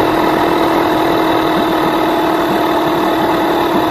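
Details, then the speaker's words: Rebuilt Yamaha 9.9/15hp outboard during ignition timing and carburettor fine tuning, just started with some choke: steady, even drone with no dip or hunting but sitting noticeably fast; idle speed set too high, to be lowered. "As you can hear, motor is idling a little bit high. So drop this idle down a bit."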